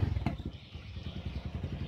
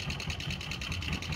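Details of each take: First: Honda Verza fuel-injected single after repairing a clattery top end caused by running out of oil: even, steady idle thump with no clatter or knock; sounds normal. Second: Honda Verza fuel-injected motorcycle, engine dry of oil before being topped up, idling with a sharp, rough metallic valve-train clatter about five times a second from the block/cylinder head; caused by oil starvation.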